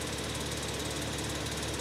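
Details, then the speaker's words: 2009 BMW Z4 E89 sDrive35i after 500-mile drive: harsh fast metallic chatter over the running engine near the turbochargers; owner suspects loose heat shielding rather than wastegates, metal-to-metal contact, not confirmed. "wastegate doesn't really rattle like that it's like metal to metal contact this one it sounds like a summer protective shielding or the heat shielding"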